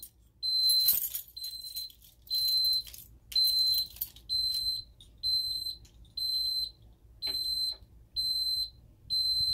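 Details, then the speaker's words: Ademco 6137R alarm keypad armed stay with chime, entry phase started without disarming: short high-pitched beep bursts about once a second, counting down the entry delay. "So let's go ahead and activate that. Now it's starting the entry phase. We're not going to disarm it."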